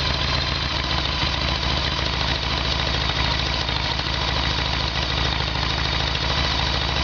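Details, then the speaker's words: Harley-Davidson Evolution Sportster V-twin with earlier backfiring, run on the normal petcock position: even low beat with no stumble yet before it runs dry and stalls; faulty fuel tap passes no fuel on 'on', only on reserve. "so there was all the proof we need had ran dry with the fuel tap on"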